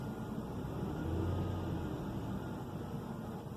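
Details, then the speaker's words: 2005 Hyundai Santa Fe 2.7L after idle control valve replacement: low, even idle hum with no hunting or surging, revs rising and falling normally with throttle; repair successful. "running real good so I'd say this is a success"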